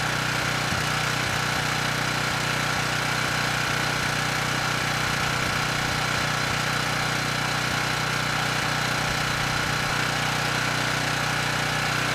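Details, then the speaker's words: Dump-salvaged Ridgid 5700 W generator RD905712, Yamaha MZ300 engine, 1500 hours, started first pull, running under load: steady, even engine drone at constant speed with no misses or surges; healthy. "for something that was thrown away and has 1500 hours on it this thing's doing pretty good it started first pull engine sounds good and the power head seems to be doing a good job as well"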